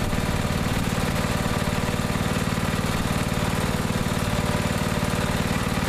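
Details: Neglected riding mower after repair, fresh gas, fuel shutoff, filter and hose clamps redone, started on jumper pack due to weak battery: steady, even chugging at constant idle, no misses, pops or knocks; now runs perfectly.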